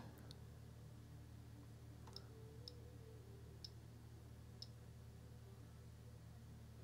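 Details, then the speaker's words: Amiga 500 with a Gotek drive fitted in place of the floppy to rule out the drive, Amiga test kit disk inserted. The Gotek just clicks away: quiet, sparse ticks about once a second over a low hum, nothing loads. "yeah right so even the gotek just clicks away it doesn't actually load anything even though I've got the Amiga test kit disc inserted into this as well"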